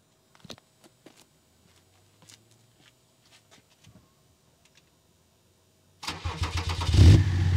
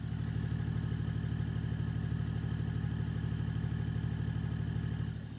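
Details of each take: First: BMW E39 530d M57 diesel with rewelded exhaust: cranks, catches and idles with a fast light tapping as the tailpipe knocks and rubs on the M-package rear bumper, partly melting it; exhaust knocking against bumper. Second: BMW E39 530d, M57 diesel, with modified rewelded muffler that rubs the bumper: steady, even diesel idle with a low, regular pulse and no knocking or metallic slap; exhaust clear and quiet.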